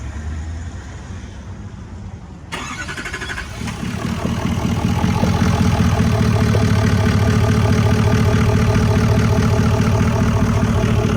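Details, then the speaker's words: LMM Duramax diesel pickup, oil found; engine catches after short crank, settles into loud steady diesel clatter at idle. Owner fears blown engine; cause unknown. "What is that? It's oil. Oh, that's not good. What are you telling me? Did I just blow my engine?"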